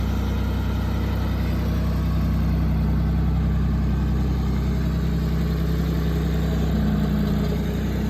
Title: Test run after springtime maintenance and a few repairs to our 1979 Ford 340 Industrial Tractor.